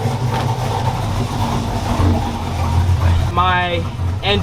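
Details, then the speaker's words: V8 after TSP Torquer V2 cam (113 LSA) install with 36lb injectors, untuned, coolant bled, holding 209°F: deep, steady idle with slightly choppy lumpy beat, no knocks or ticks, needs tune; normal cammed V8 idle. "Woo! Rocket Bird sound good!"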